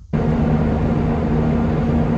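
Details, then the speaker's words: 1972 Barth RV motorhome engine revived after sitting: catches at once and settles into a steady, even idle with no stumbles or knocks; the engine sounds all right, the remaining problem is fuel delivery. "okay well I know the engine actually sounds all right right now what we're having is a fuel delivery issue"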